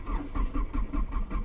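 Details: 2000 Hyundai Sonata: steady rhythmic cranking at about five beats a second without catching; crank-but-no-start, with wiring repaired, new relay fitted and fuel pump being troubleshot.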